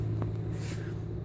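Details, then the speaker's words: Bosch SHX6 8E05UC/13 dishwasher: low steady hum-roar from the base at cycle start as the pump tries to pick up water from an empty sump, which seems normal; this run cut out after only about a minute with the door magnet cycled again. "trying to pick water up even though there's no water in the Basin seems to be the normal thing"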